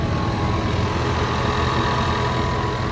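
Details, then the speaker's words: 2018 Ford Mustang 2.3L EcoBoost after cooling-system repair (seized water pump, squealing belt, coolant loss), pressure-tested to 15 psi: steady, even idle with low rumble and faint whir, no squeal or knock. Temperature holds steady. "Running pretty good."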